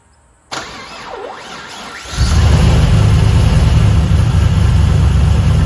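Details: LS1 V8 one-tonner on first startup right after fitting an upgraded Aeroflow 78/75 Gen 2 turbo (new cam, wrapped dump pipe, intercooler piping sorted): it cranks, catches and settles into a steady, even low rumble with no ticking, puffing or hissing. Turbo spinning well, no exhaust leaks, normal idle.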